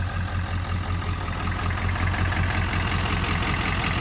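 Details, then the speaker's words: Diesel farm truck, 5-speed ZF5, first start: low diesel clatter at idle with lumpy, uneven beat; rough idle, cause not evident. "Oh, there she goes. Look at that. A little rough, but she'll"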